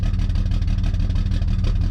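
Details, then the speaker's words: BMW 335i with big single turbo, solid engine mounts: rev gives uneven choppy exhaust pulse with body rattle; sounds like a misfire, cylinder not yet identified, plan to unplug coils one by one. "gonna check that out definitely sounds like it's got a misfire and he's got solid engine mounts so cars rattling quite a bit"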